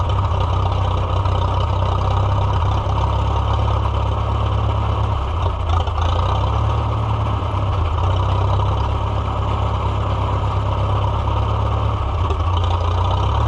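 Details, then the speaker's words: Restored Farmall F-12 tractor on steel wheels, auction find being revived, air tube off: engine chugs low and uneven, beat wandering and sagging, then dies; choke not working right (in is choke, out is open); rusty tank, owner suspects rust in carburetor. "Well, canute. I was just about ready to drive it and then it died. My choke is not doing the thing right."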